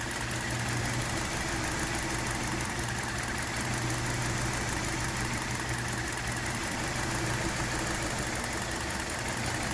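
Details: 2017 Hyundai Elantra, console and engine bay views: petrol engine idles with an uneven, stumbling misfire; ongoing intermittent issue, number 2 coil replaced and computer updated without fixing it, mechanics found nothing at inspection.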